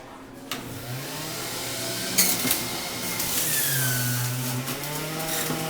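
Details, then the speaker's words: Omega BMJ330 Mega Mouth centrifugal juicer juicing a whole melon in under 30 seconds: loud high whirring motor whose tone rises and dips as produce feeds through; loud by design compared with quiet slow juicers; normal running. "As soon as you hear this thing come on, because it's also loud, that's another negative of this machine, and those machines are quiet, so if you have to juice in the morning and you have family sleeping, this might not be the juicer either."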